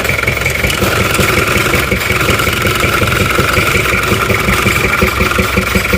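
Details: Toyota Kijang LGX diesel with bok-bok noise at the air filter, louder with filter removed, like compression blowing back into the intake manifold: rhythmic puffing under two per second at idle; intake valve leaking from too-tight valve clearance.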